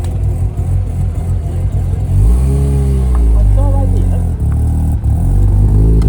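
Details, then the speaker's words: Bridgeported Mazda RX-8 rotary at its first track day in nearly a year, coming into pit lane in 3rd gear with clutch down: revving then settling over a rough, uneven hum, a constant drivetrain noise whose source remains unidentified. "I literally came into the pit lane, 3rd gear clutch down, and it was going go constantly."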